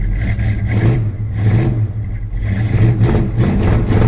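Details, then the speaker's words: 1972 Plymouth Road Runner 440 V8 with Flowmaster mufflers, after refitting the exhaust manifold flange: repeated rev blips with deep even exhaust note; only a faint tick remains, acceptable for the trip home. "actually pretty good all right I can live with that for the trip home"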